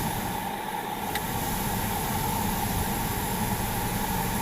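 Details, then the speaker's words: 2013 Ford Explorer after replacing the electric rack and pinion that made a roaring/whining noise: even idle with faint steady tone, no roar or whine while turning; steering quiet and healthy, no warning lights. "I'm making the horrible whiny noise no more our roaring noise so if you have this problem in this hole definitely fix it"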